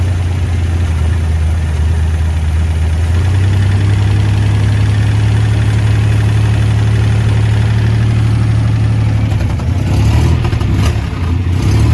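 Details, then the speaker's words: 1967 Jeep CJ5A with Dauntless V6, dual exhaust, just revived after sitting in a garage: deep, even low rumble holding steady with no knocks or misses; engine idles smoothly and sounds healthy. "It's alive. $0, folks. Drive it home today. Purrs like a kitten."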